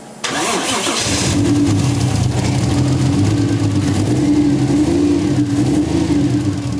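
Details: Toyota 1JZ VVTi swapped into a Nissan 240SX, starting and idling; uneven, lumpy idle with steady stumble, misfire on cylinder four traced to an injector plug not seating properly. Cylinder misfire from injector wiring fault.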